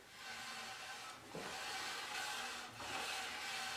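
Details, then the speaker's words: 2007 BMW X3 AWD, wheel jacked and spun by hand in neutral: thin metallic scrape swelling about once per wheel turn; bent metal brake dust shield behind the rotor rubbing it, common in winter from road salt. "Now, that's not an expensive sound. I'm almost 100% certain I know what it is. I'm pretty sure that it's the dust shield itself, the metal dust shield on the back side of the brake rotors."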